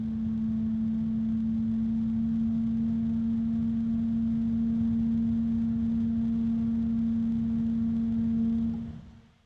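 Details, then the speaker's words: ID-Cooling DashFlow 360 XT Lite AIO radiator fan at maximum speed: pure steady high-pitched tone over airflow hiss, then stops; a resonance noticeable in the case at maximum speed. "there's a high-pitched one right there."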